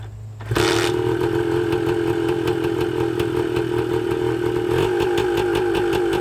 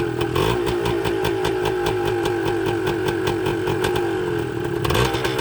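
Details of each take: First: 1980 Suzuki TS125 two-stroke after a carburetor clean: revs climb on their own to a high buzz and hang there, and even the ignition would not kill it; runaway from an air leak, with crank seals suspected despite little smoke. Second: 1980 Suzuki TS125 two-stroke, carburetor ultrasonically cleaned, tank flushed, fresh fuel: catches on one kick with choke on and settles into a quick, even crackling idle, no misfires or knocks; normal cold idle.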